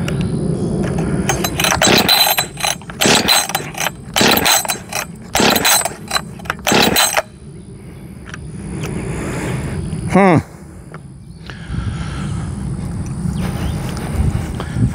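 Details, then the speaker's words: Husqvarna 562XP Mark II chainsaw, first start attempt: five or six pull-cord rasps, never fires; coil wire not fully down on spark plug after compression test, so no spark. "okay I think I didn't have that coil wire all the way down I had just you know pulled the spark plug out and did a compression test and stuff"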